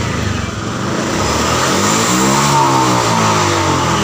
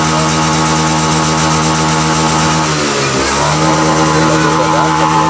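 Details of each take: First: Honda Vario FI scooter revved high, running rough, pulsing about four times a second like fuel starving (brebet) at high rpm; traced to the TPS throttle position sensor. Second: Honda Vario FI scooter that sputtered at high rpm, after the TPS sensor was reinstalled and repositioned slightly upward: a steady buzz dips briefly, then climbs back cleanly with no stutter or misfire at the top.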